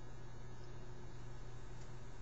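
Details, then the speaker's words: 1983 RCA SelectaVision video disc player, opened up, starting a disc: steady low hum and faint whir as the disc builds momentum and the mechanism lines up the stylus before play gradually begins; normal startup mechanism noise. "then that noise you heard is basically thing lining up for the stylus and then it will gradually start going"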